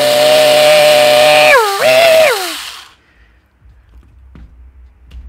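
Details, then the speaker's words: Jing Ming J10 ACR gel blaster with metal gears, in a J9 M4-type gearbox, test-run after reassembly and shimming: two smooth, high wind-ups with no grinding or clatter, a healthy mesh. "all right time to test the mesh that sounds [ __ ] beautiful so that is what a good mesh should sound like even on metal gears"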